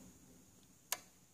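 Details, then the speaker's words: Samsung PN60E7000 60-inch plasma TV after power supply board resoldering; one crisp relay click at power-on, no repeated clicking as before with blinking red light, screen comes on: repair appears fixed. "once again this is the the relay that makes the clicking sound okay I'm gonna power it on"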